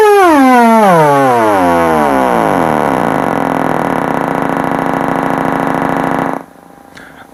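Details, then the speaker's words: Kenwood 745 old-school amp on a bench test, pulse input on and turned all the way up: a loud siren-like tone sweeps down, then settles into a steady buzzing pulse with no crackle or dropout, so this channel is working normally. "that tells me we're good on that side."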